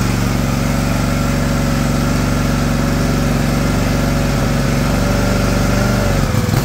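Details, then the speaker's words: John Deere LX178 single-cylinder mower engine with new replacement carburetor: steady even drone, no misses or surging, speed easing slightly near the end; normal idle. "I'm going to look at see if I can slow that down a little"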